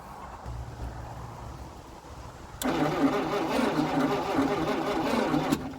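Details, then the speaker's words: 1948 Packard Super 8 straight-eight, sitting since early 1980s: steady cranking about four turns a second, engine spins freely but never catches; no spark, points suspected dirty, six volts at coil. "no spark just like we'd expect I'm sure the points are just cruddy"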